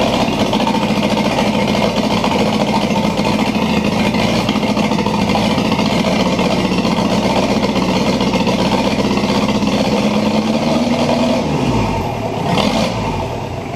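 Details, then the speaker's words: 1984 Toyota Land Cruiser BJ60 diesel on its first startup after revival, injectors bled and glow plugs 15 seconds: clatters with pitch slowly climbing for about ten seconds, then shut off; owner thinks it wants to run away, cause unconfirmed. "wow that was easy all right kind of sounds like it wants to run away on me there"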